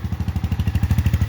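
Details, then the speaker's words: Lifan Xpect single-cylinder motorcycle at 1,100 miles, just after valve adjustment (intake loose 0.006, tight 0.007) for running a little off: quick even thumping at steady idle, about a dozen beats a second, no misses or ticks; healthy. "go ahead and start start it up i'm going to turn the fuel back on okay hopefully there we go oh yeah okay fired up"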